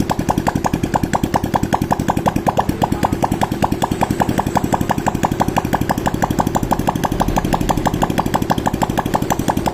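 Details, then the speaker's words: Honda Supra X 125 / Karisma after new piston rings and valve stem seals to cure white exhaust smoke, run without the muffler: sharp, even popping from the open exhaust port with no misses and no smoke. "Oke, ini udah enggak keluar asapnya ya. Berarti menandakan ini bagian piston sama kapnya udah aman."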